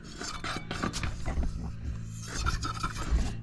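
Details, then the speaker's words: Razor SX500 with added pit-bike hydraulic disc brakes and a custom swing arm, wheel spun by hand: uneven scraping and thumping each turn. The rotor screws catch the caliper mount because no wheel spacers are fitted yet. "you hear a little you hear more you hear the thumping so that's happening because these screws here that hold on the disc brake to the rim are just slightly hitting that silver mount for the caliper"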